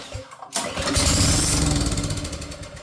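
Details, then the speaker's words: Old pressure washer small engine, air filter off, starting fluid sprayed into the carburetor: after a pull it fires and sputters about two seconds, then dies; runs only on starting fluid, pointing to a carburetor fuel delivery fault. "Okay, so that tells us it's the carburetor."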